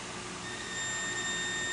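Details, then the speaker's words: Whirlpool electric dryer that won't start: multimeter on the removed thermal fuse gives a steady high continuity beep, so the thermal fuse isn't blown. "we have continuity here"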